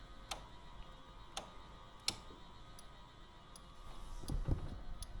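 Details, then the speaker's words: 1980 Triumph TR7 with ignition on, engine off, while testing lights after wiring work: sharp, slightly uneven ticks about once a second over a quiet background, possibly the blinker; source of the ticking unclear. "something's ticking see what we got for are the blinker working up there"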